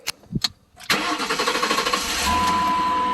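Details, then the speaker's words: Chrysler Pacifica 3.6 Pentastar V6 after replacing the leaking plastic oil cooler, intake gaskets, spark plugs and belt: short crank catches cleanly, brief flare, then steady, whisper-quiet even idle with no knocks or squeals. "Oh, she's whisper quiet. Listen to that."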